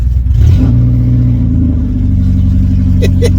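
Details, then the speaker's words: 1986 Ford Cortina P100 with the 1.6 Pinto engine and a missing exhaust section: a deep, raw, very loud unmuffled roar as the throttle is blipped. It idles a bit rough, which the owner attributes to no back pressure. "drag strip noise I better tickle throttle see how it goes"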